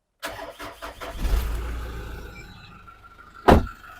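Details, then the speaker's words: Car jump-started with a Topdon JS1200 lithium jump starter on the positive battery terminal: brief quick cranking catches within about a second and settles into a steady even idle; healthy start. "There we go, nice and easy."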